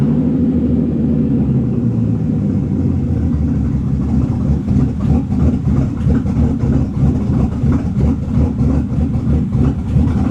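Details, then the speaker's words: 2005 Bentley Continental GT with a new engine, revived after about three years abandoned. Vacuum lines were damaged during engine install and smoke testing showed leaks. Uneven, lumpy, wavering idle with slight flutter. Rough idle from vacuum leaks. "Car is not really happy about the vacuum leaks."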